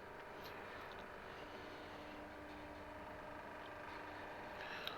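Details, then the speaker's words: Chinese diesel heater that had thrown error E-03, after replacing the faulty glow plug: steady fan whir, faint even tone and light ticking with no stall once the glow plug is hot and the pump kicks in. Normal startup, fuel igniting. "So this is in its startup sequence, past the initial checks, and now the hopefully the heater will work properly. Yeah, I can hear it now."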